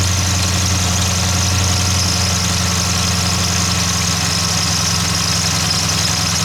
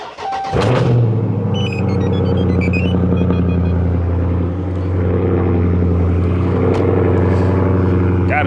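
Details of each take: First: 2015–2020 Dodge Charger/Challenger 392 Hemi at 60k miles, idling: steady high hiss-like squeal with uneven rumble from a failing water pump bearing. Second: Dodge Charger/Challenger 392 Hemi on a cold start after the water pump was replaced at 60k miles: it catches at once and settles into a smooth, quiet, even idle with no squeal, knock or rattle. Normal.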